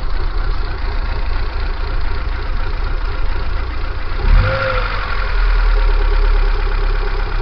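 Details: Kia Pride engine idling with abnormal shaking: uneven, lumpy idle with an irregular low throb and one brief stumble midway; rough idle, cause unknown.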